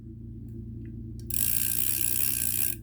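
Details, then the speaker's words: Vintage Korean-made Daiwa 100X reel with the anti-reverse in silent mode, so the handle turns backwards. Light ticking and rapid gear chatter with no grinding or catching: normal backward rotation. "Yeah, here is the anti-reverse. It's in silent mode right now. It turns backwards."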